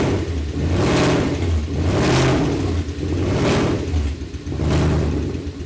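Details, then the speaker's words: BMW 540i V8 at its first start after reassembly, fitted with old spark plugs. It has an uneven, lumpy idle with a periodic stumble and surging revs, a "dead miss" as if one cylinder is out; engine misfire, cause not confirmed. "Sounded like it had dead miss in it. Did you hear it? I heard it. Dead miss. Which I did use old spark plugs."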